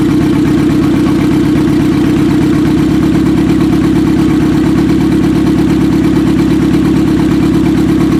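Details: 1995 Acura Integra LS, turbo B18 semi-built motor with forged pistons and rods, block guard, aftermarket cams, eBay turbo, new head gasket: first start-up idle chugs unevenly, stumbling as if a cylinder drops out; suspected misfire.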